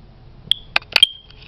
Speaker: Alright, my smoke detectors are chirping.